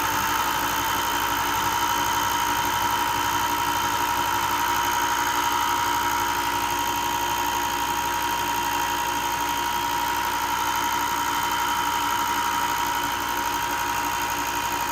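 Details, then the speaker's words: Ryobi 4x36 bench top sander, about a year old, after bearing replacement to cure a loud clicking noise, runs with a smooth even motor hum and no clicking or rattle; repair fixed it. "Okay, it seems to have fixed it."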